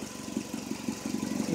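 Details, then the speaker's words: 2004 Hyundai Elantra idling after a radiator replacement: a steady idle with a rhythmic puffing tick on each firing pulse. An exhaust leak at the flex pipe, not yet repaired. "but it's running you can probably hear the exhaust leak that's getting fixed on saturday that's that flex pipe came lease"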